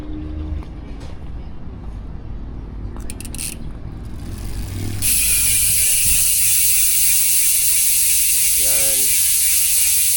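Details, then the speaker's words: Speed 1 Soldier 6-pawl cassette-type rear hub with sealed bearings on a 26-inch Alpinestars XC MTB, wheel spun freewheeling: fast, even ratchet buzz, steady and not overly loud; normal freehub clicking. "Yan guys, yung tunog ng Speed 1 Soldier MTB hubs kapag naka-free wheel."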